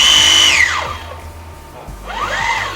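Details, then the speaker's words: H300 MKII ROV dry run test out of water, thruster run forward and reverse, slow then fast: smooth high motor whine sweeping down and back up; sound present means thruster has no problem. "Kalau bunyi dia semua, maknanya tak ada masalah."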